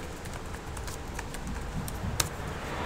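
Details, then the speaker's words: HP laptop on Windows after turning off Filter Keys. Soft, irregular key clicks play over a quiet background with no beeping, and the keyboard now types normally. "Okay. It's these guys here. Yeah, now the keyboard works fine."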